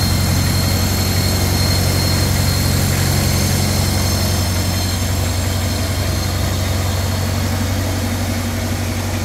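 Smooth, even low thrum at about four beats a second, steady throughout with no knock or miss; a healthy idle.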